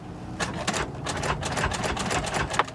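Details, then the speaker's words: Salvage-auction non-runner, possible flood car: irregular bursts of rapid clattering as the starter tries to crank; never starts, owner suspects it sucked up water. "oh damn how much did we bet again oh man well that sucks and it sounds like it's trying to crank too this thing may have sucked up water"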